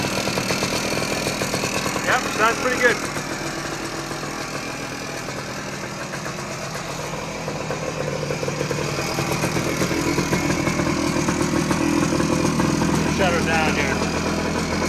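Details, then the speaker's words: 1979 Suzuki PE250 two-stroke single, revived after sitting a couple of years: even idle with steady beat and occasional light blip, running cleanly; really nice, normal idle. "all right well just as I suspected this wasn't going to take much to get it going and it uh it's it's running really nice from what I could tell"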